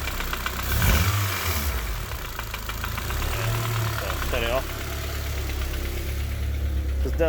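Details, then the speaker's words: Honda K20 engine (K-swapped Civic) at rough idle, irregular deep knock about four per second from mid-block; owner not convinced it's rod bearings, suspects piston slap; teardown later showed oil and coolant mixing, engine declared dead. "so i'm not convinced it is the rod bearings 100 could well be pissed and slap like brock suggested because it does sound like the noise is somewhere in the middle here sounds higher than the bottom lower than the very top"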